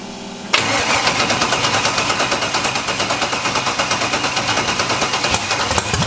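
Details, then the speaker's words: First start of a budget LS-swapped Mustang drag car: brief crank, then the V8 fires into a loud, lopey but steady idle pulsing about three times a second; slight smoke, small trans fluid leak; normal healthy start. "see suck it science look at that sounded like a champ"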